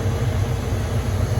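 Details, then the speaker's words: Masterbilt two-door cake display freezer, rooftop condensing unit, no-cooling call with power confirmed on: only a steady low condenser fan rumble and airflow, no compressor hum; fans running, compressor not running. "my condenser fans are running, but I don't hear the compressor. So I think we got fans, no compressor."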